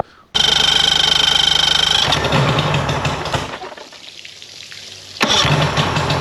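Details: Mercury 50hp two-stroke outboard after a full service and carb sync-and-link. It starts, then runs flat with a weak, loping beat, as if on only one cylinder; spark loss traced to a failed CDI/switch box.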